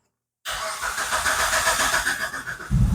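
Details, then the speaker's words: Old Proton Persona restarted; scan shows camshaft missing, and a replaced camshaft sensor did not help: catches after a short crank, then revs hunt and surge unevenly instead of settling. Crankshaft position sensor failure causing hard starting and erratic RPM. "Itulah tanda-tandanya tadi. Susah dia mau start. Yang kedua RPM gila."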